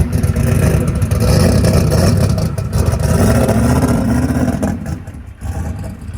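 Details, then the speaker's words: Ford Coyote V8 with a 107mm turbo, on an 850 injector setting at 9 psi fuel pressure: revs up and down with sharp irregular pops and crackle; running lean, lean popping. "brother all right so we got that thing it was running a little bit lean lean popping go ahead and crank it back up Donald"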